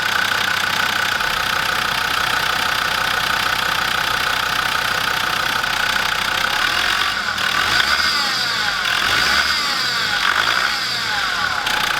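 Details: Land Rover Defender TD5 diesel idling with a high chirpy twittering from the belt drive, traced to worn idler pulleys; belt tensioner already changed, idler pulleys and fan belt replaced to cure it.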